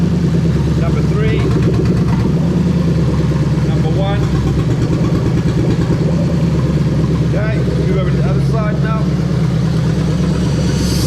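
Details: 1998-2000 Lexus LS400 1UZ-FE VVT-i V8 on a standalone harness, warmed up, injectors unplugged one at a time: deep, even beat with lumpy stumbles per cut; every cylinder fires, engine healthy.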